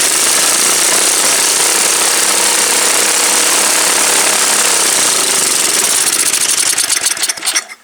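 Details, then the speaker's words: Old MTD Yard Machine snow blower after carburetor work: fast, loud, sharp engine chatter turns ragged, sputters and cuts out near the end. The carburetor is still not right, possibly a vacuum leak; it will not run well without choke. "That's weird. Heat. Heat. It is not enjoying life right now. That's for damn. So, um, something's still not right with this carburetor. Could be a vacuum leak."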